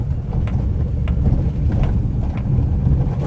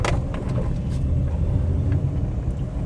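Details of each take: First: Maruti WagonR K Series driving over rough paver-block road: loose, irregular light rattling ticks over road rumble from the front, plus a seat noise. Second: Maruti WagonR K Series on test drive after front caliper bushing replacement: only even road rumble and engine drone, no knocks or rattles from the front brakes; noise gone, cabin silent.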